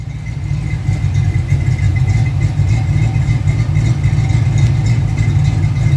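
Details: First start of a car after years of sitting: an uneven, loping low rumble at idle. The engine is running rich; a base idle reset and a search for the rich cause are planned.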